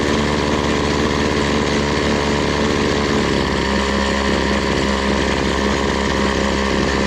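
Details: BC 2500 LE two-stroke trimmer, after the idle was turned down: a steady, settled buzzing idle with no surging, and the head no longer spins. Idle is now correct.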